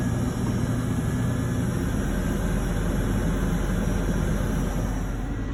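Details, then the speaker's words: 2002 Ford Explorer two-door running after fuel pump repair through a cut access panel: steady, even low rumble with no stumbling or surging; successful repair, normal running. "it's running i would say that's a successful repair guys"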